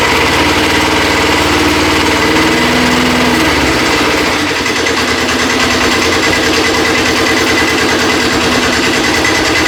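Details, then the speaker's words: Custom Cub Cadet 72 tractor with a Kubota diesel, started after a minute of glow plug: cranks, catches and settles into a steady, even idle clatter with no misses or knocks while warming up; healthy engine. "Let the glow plug run for a minute. Turn it over. Let it start. We'll let it warm up for a little bit before we try moving it."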